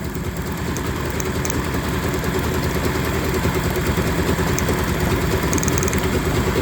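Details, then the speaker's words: Yamaha 30 hp three-cylinder two-stroke outboard that started running rough, plug-lead drop test: steady, slightly lumpy idle that doesn't drop or pick up with one lead off, so that cylinder isn't firing; dead cylinder. "it's not revving back up it's not dropping [Music] down dropping down"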